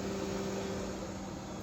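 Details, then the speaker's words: Jeep Cherokee XJ that has been heating up in traffic, newly installed electric fan override switch (temporary location, for testing) flipped on: quiet steady hum and soft air rush of the electric cooling fan; normal fan operation. "So, uh I decided I'm going to install a uh fan override switch, which will uh make my electric fan come on whenever I flip switch."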